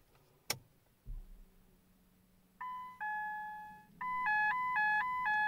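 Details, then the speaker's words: Ford Mondeo (Copart car): dash chime then repeating two-tone electronic melody with engine malfunction and immobiliser fault messages, ECU negative response; owner suspects ECU or BCM fault, not confirmed. "comes up saying engine malfunction and a mobiliser fault. Have all doors locked. ECU negative response."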